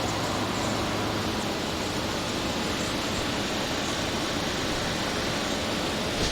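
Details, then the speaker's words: Air conditioner at an enthusiasts' meet, with a big S-Series Tecumseh compressor, running after being brought back to life with a fresh R22 charge. Even, steady rushing roar, no knocks or rattles; normal running. "Unit being brought back to life. Fresh charge of R22."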